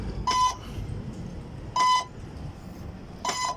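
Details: Spraying drone before repair, powered on: a single mid-pitched ESC beep repeats about every 1.5 s. After a recharge it began beeping, the ESCs would not turn on and it would not link to the remote. Cause unclear.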